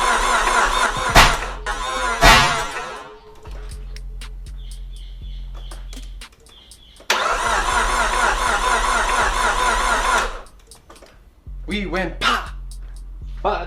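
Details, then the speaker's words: Nissan S13 200SX, first start of freshly rebuilt CA18DET: two bursts of steady cranking, engine never fires; owner suspects cam angle sensor timing is out, fuel injectors to be checked next. "nothing's starting which leads me to believe one of two things i believe the kaz is out because i didn't check it very well when i put it in"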